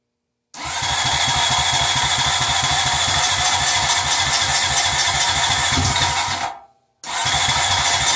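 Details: Early-model Honda Rancher 350 single-cylinder after a top-end rebuild with an aftermarket cylinder kit (previously run without oil, oil filter installed backwards), carburetor untouched and possibly gummed, low battery: fires at once, runs smooth and even, dies briefly near six seconds, restarts cleanly; healthy run.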